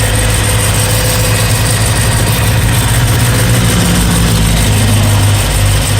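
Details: BMW E92 M3 S65 V8, 65,600 miles, oil changed 1 month/300 miles ago, idling: steady idle with fast light valvetrain-type ticking over even rumble; began cold, quieter warm but persists, cause not pinned down.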